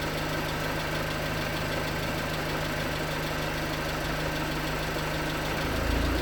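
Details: 2019 Hyundai Tucson 2.0L GDI Nu, 24,000 miles, Mobil1 5W-20 with under 1,500 miles on it, cold idle: faint, fairly uneven knocking about four per second; suspected piston slap, unconfirmed; later 5W-30 oil only slightly improved it.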